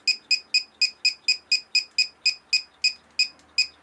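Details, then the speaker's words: Winegard SensarPro antenna amplifier signal meter, antenna being rotated: bright double-pitched chirps start near four per second and spread out to about two and a half as the signal strength drops off; normal behaviour. "how it slows down as the signal strength drops off."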